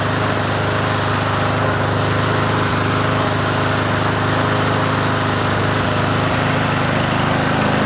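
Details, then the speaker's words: Free Troy-Bilt TB110 push mower, 550EX 140cc single-cylinder, running after carburetor work: steady running with uneven shaky throb; owner first suspected blade needing sharpening and balancing, vibration pointing to bent blade adapter. "it's got a shake though but that could be the blade probably needs to be sharpened and and balanced"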